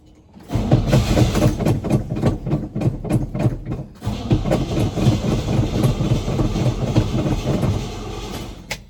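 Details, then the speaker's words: Chevy/GMC K10 squarebody that sat for years, with fresh gas poured in: uneven chugging bursts of cranking, about four a second with short pauses, and it never catches. Owner suspects it's not picking up fuel yet or has bad fuel. Crank, no start. "I'm going to go pour a little And they won't pick up fuel yet. Or it's really bad fuel."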